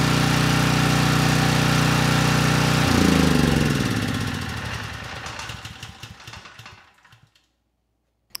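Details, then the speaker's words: Briggs and Stratton Storm Responder 5500 W generator, previously seized, with fresh oil: small single runs with an even, steady beat about three firings a second, then winds down smoothly; started right up and produces power. "it started right up the engine sounds good the carburetor is running it well and of course we have power"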